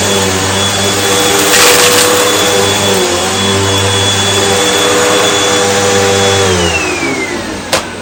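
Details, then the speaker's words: Hoover Elite Rewind UH71013 bagless upright vacuum during big-mess test: steady motor drone whose tone shifts and drops as the packed-full bin chokes airflow; system check indicators on, suction falling, bin needs emptying and machine a full service. "Alright, well, the system check indicators just came on, so that means it is time to empty the bin, and this bin is packed full. And I can hear it starting to lose suction."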